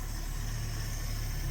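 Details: 1973 AMC Gremlin parked 30 years in a barn, first start on a makeshift fuel system: steady, even low idle with a smooth beat and no knocks or misses; it straight up idles normally.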